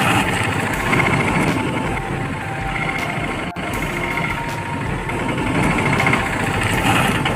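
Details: Piaggio BS4 three-wheeler auto, after a back-gear repair fixing a knocking (khat-khat) sound when moving forward: small engine ticking over at about 220 beats a minute, fairly even, with no knocking from the gearbox.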